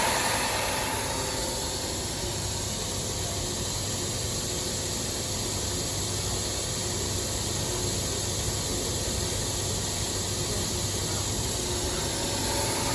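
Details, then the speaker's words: 2007 Dodge Caravan at idle with a vacuum leak deliberately created while injector signals are watched on a PicoScope: a steady airy sucking hiss over a smooth, even idle. "All right, we're about to create a vacuum. We can see what that changes on our Pico."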